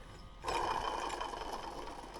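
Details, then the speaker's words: 1980 Triumph TR7 alternator spun by hand during engine assembly: rough, gritty whir fading as it slows; worn internal bearing, no shaft play, replacement planned later. "So the bearings somewhere. It doesn't have any play in it, but there's a bearing in there that's needing some attention."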